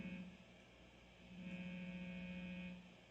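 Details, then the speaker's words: Electric guitar amp with the gain turned up high, guitar connected by a shielded cable: a low, steady hum under a quiet room; a normal, acceptable noise level. "and right now I have the gained like turn up quite a lot uh however you can hear the humming sound"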